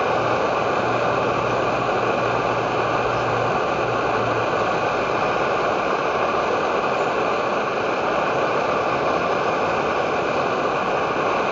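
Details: Edward Hexon backpacking stove on white gas (Coleman fuel), syringe-fed in place of its pump, with 500 ml of water reaching a rolling boil: steady, even roar with no sputtering or pulsing; burner running cleanly at full output.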